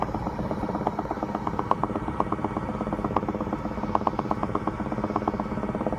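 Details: 2016 BMW X5 F15: rapid, uneven popping and bubbling clicks, a few per second, over the steady engine note; source not pinned down.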